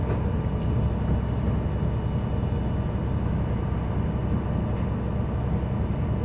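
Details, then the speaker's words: School bus diesel engine at raised high idle during the AM brake check, building air pressure toward governor cutoff (120–140 psi): a steady, smooth low rumble with no knocks, which is a normal high idle. "And I'm going to go ahead and turn it on the high idle to facilitate this building up."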